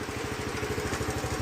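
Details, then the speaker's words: 2007 Honda CT110 single after sitting three years, restarted after carburettor refitted and pilot jet blown out, cam chain not yet adjusted: even, steady putter with regular firing and no misses or rattles, a clean healthy idle. "So uh, chuck the fuel on. Put it on to on. Kick it over. Runs great. Yeah. Runs awesome."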